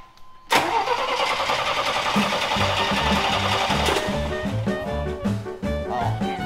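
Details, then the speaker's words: Square-body Chevy truck, in neutral, after its fuel pump was moved from the old tank to a new tank: starter churns in steady pulses about three a second but never fires; zero fuel pressure, and the pump is suspected dead. "i don't know what happened but there's zero fuel pressure"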